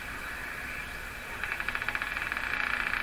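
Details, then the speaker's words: Philco Model 24T five-tube radio during alignment, watching IF rectified output: faint hiss breaks into buzzy mid-pitched pulsing about four beats a second and quickening; intermittent noise signal, source unknown. "That's a noise signal doing that, and here's a station. Oh, that's another noise signal. What happened to the station?"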